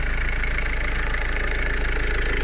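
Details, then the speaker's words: Ford Focus Mk3 1.5 TDCi diesel idling just after a timing belt replacement: steady low clatter and rough rattly pulse; it is noisy and the dual-mass flywheel is suspected and slated for replacement, not confirmed. "to słyszycie przeznaczymy jeszcze tam dwumas wymienić"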